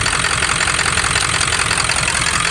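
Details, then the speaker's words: OBS Ford F250 Powerstroke diesel, 300,000 miles, straight-piped, after lift pump replacement: uneven, lumpy clatter at idle; owner suspects air still in fuel system or low compression, unconfirmed; rough idle. "i might not have all the air out of it or i don't know but it runs uh it just runs a little rough at idle"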